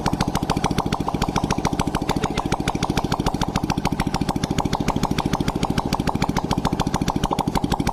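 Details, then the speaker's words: Honda Blade motorcycle after new boring and head fitted to cure oil smoking, exhaust removed: loud even popping idle about seven beats a second, no misses or rattles; engine runs smooth, normal idle. "Hai mesin pun suaranya lembut berarti permasalahnya fix di bagian knalpot tinggal ya"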